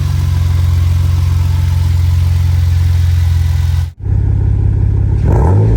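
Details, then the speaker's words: First start after fitting new Bosch iridium double platinum spark plugs, aircon off: steady low idle with an even beat for several seconds, then a brief drop and rising note; engine runs normally. "Okay, so first start with the new spark plugs in, iridiums."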